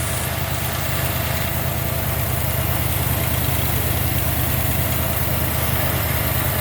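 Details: 1990 Jeep Grand Wagoneer, newly rebuilt AMC 360 V8 with Holley EFI, after restoration, idling: smooth, even low idle with a steady pulse about three per second, little vibration, no knocks or misses; normal idle.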